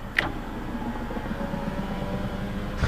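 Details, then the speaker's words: Chevy Aveo (Daewoo-built) power window: a steady motor hum through the window travel, clunking at the start and end. The owner thinks the motor is gummed up; the other window does the same. "That doesn't sound good. Sounds like the motor's kind of gummed up or something. It's kind of like clunks along."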